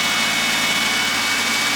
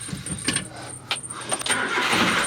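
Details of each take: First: Carbureted car after the intake was removed: a steady, even hiss and hum with no misses. Normal idle, purring, never ran this good. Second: Carbureted mini truck that had broken down: short, uneven bursts of starter cranking and the engine never catches. Cranks but won't start; a carburetor fault is suspected, more than a simple fuel-delivery issue.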